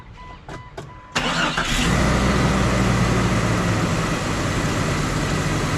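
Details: 1998 Jeep Cherokee XJ after fuel sending unit replacement fixing a long crank: a short crank, catches right away, then a smooth, steady idle with no stumbling. Normal.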